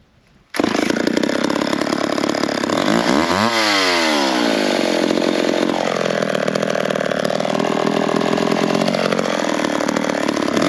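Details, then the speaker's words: McCulloch 10-10 chainsaw after a carburetor adjustment made between cuts in firewood logs, restart test: fires up with a crisp, even buzz, revving up then settling back without stumbling; now running well. "I think we got that one running pretty good so we'll switch over to one of the other ones"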